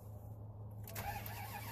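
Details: 1998 Dodge Ram 1500 crank no start after crank sensor replacement, ASD relay signal lost, SCI bus issues suspected: starter spins engine at steady rate but nothing fires.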